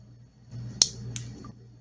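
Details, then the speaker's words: Toyota/Lexus transmission shift solenoid, removed, bench-tested with battery leads to pin and bracket: one sharp crisp click then a fainter second, plunger moving freely; solenoid passes, normal click. "hopefully you could hear the click that is actuating inside the plunger inside so this solenoid has passed this test"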